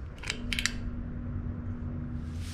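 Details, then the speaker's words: Thermostatic barn exhaust fan motor, thermostat bypassed so power reaches the motor; steady low electrical hum with a few clicks but the fan struggles and won't turn, the blade is not seized, and the start capacitor is replaced as the fix. "so the only thing left would be oh I can hear it look here that it's struggling"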